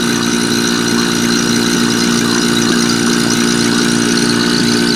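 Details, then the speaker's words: Marvac GA-271A AC vacuum pump, split-phase AC induction motor, after freeing seized armature shaft, likely unused 30 years: steady even hum with constant buzzing drone, no knocks or rattles; motor heats quickly, good suction; normal running. "And that motor is heating up pretty quick actually, but it's got pretty good suction. Doesn't have to be a whole lot just to evacuate an AC system."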